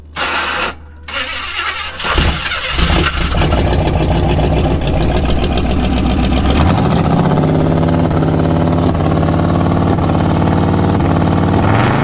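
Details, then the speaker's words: Jeep Scrambler that ran badly after the drive home from Salt Lake: after starting it settles to idle with a fast uneven tick, roughly 220 a minute; valve-train fault later found as a bad lifter, bent pushrod, likely flattened cam lobe. "something happened with the drive or not the drivet train I'm sorry the valve train something sounded horrible bad we'll look into it"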